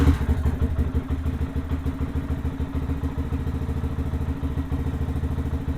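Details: Lifan KPM 200 motorcycle after replacing the dead battery (12.8 V resting, charging voltage slowly rising): even, low thumping idle around three beats a second, steady and unlabored with no knocks or misses; normal idle.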